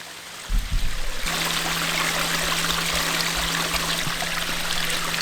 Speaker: i don't know how well you can hear that on the camera but there's a very distinct humming buzzing noise that once you notice it you can't not hear it and it's infuriating and i need to find a way to fix it